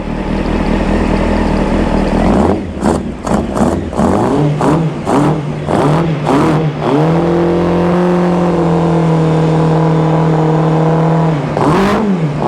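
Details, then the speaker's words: 1995 Honda CBR600F, warmed up after sitting a very long time: several sharp throttle blips, then a steady, even fast idle with a clean note and no knocks or misses; runs nice and quiet, healthy. "good I tell you what she's a sweet ride well there you have it that runs really nice it's nice and quiet"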